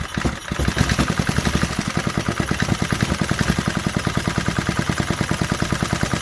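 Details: 1968 Briggs & Stratton 2.25 hp single-cylinder, first run after sitting decades; brief catch then steady even chug at idle, running cleanly on its own; normal idle.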